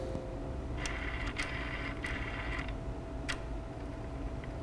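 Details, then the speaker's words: VGT turbo actuator on a benchtop calibration tool after recalibration: steady motor hum with short crisp whirs as it drives through its full travel and back, smooth with no binding or grinding. Normal full-range sweep. "now you're going to see it's going to have that full range"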